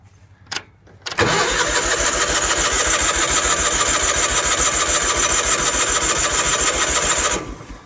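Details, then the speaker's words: 1986 Ford F8000 (Cat 3208 V8 turbo diesel listed), sat about 8 years, choke on, strong battery: steady cranking at about 3.5 turns a second for six seconds, never catches. Fuel starvation; carburetor may need removal. "Well, there's no fuel in the fuel filter. Oh, it is too, it just filled up. Well, let's give her just a little bit more time."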